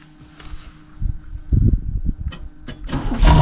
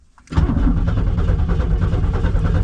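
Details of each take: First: 1990 Pontiac Firebird third gen, long-stored, first start using a starter button: a few cranking bursts, then it catches and settles into a steady, even, smooth idle; normal running. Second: 1990 Pontiac Firebird third gen after long storage, starter hot-wired by touching blue and red wires together: steady fast cranking with even starter beats, but the engine never catches or fires; cranks without starting.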